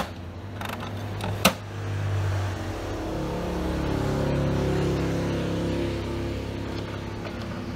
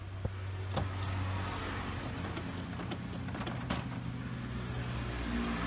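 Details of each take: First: How to fix the problem of HP printer dengan masalah yaitu macet, kemudian muncul suara yang sangat keras ya, suara yang kasar, suara gemblodak yang sepertinya suara ini muncul dari mekanik yang ada di bagian dalam dari printer ini. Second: HP printer that had jammed and made a loud, rough noise, retested after the carriage was refitted with its sensor back in the encoder strip: quiet steady hum, short rising motor whirs and sharp clicks as the carriage travels; working normally again.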